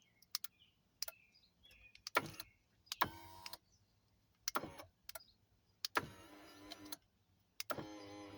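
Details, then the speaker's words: Acura MDX, blown fuse bridged with paper clip: moving steering column toggle gives short motor whir bursts ending in crackling snaps; wires under steering column chafed against metal and shorted, causing smoke, blank dash and no-start. "Now, it was a shortage. It's these wires that's underneath here that is touching this metal piece right here that it rubbed."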